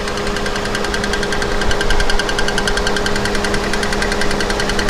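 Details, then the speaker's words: 2013 Kia Forte EX after engine swap, microphone placed at the tick: quick, even metallic ticking over steady idle, keeping pace with the engine; flexplate tick because one torque converter bolt was left out, bolt still to be fitted. "that's exactly where that kick is coming from it's because we did not put the other torque converter bolt in but we will be getting that bolt we just couldn't get it from LKQ"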